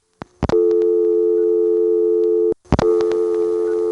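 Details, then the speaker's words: ITT Pentaconta crossbar office, Asheboro NC, March 1977: steady dial tone twice chopped by clicks and a short dropout as the first dialed digit of other customers' numbers bleeds through the shared dial tone. "one thing you'll hear through this entire recording is the sound of the first digit of telephone numbers that other customers are dialing bleeding through the dial tone like this"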